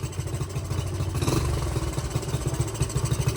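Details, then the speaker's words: Honda CT70 after timing and valve adjustment: it idles from a dead idle, but the exhaust pulses are uneven and stumbling because the carburettor jetting and air-fuel mixture screws are not right. "I can tell where our air fuel mixture screws at on this car that our jetting is not 100% right but the fact that you can go from a dead idle you can hear it in the exhaust it's not it's not idling smooth but it idles"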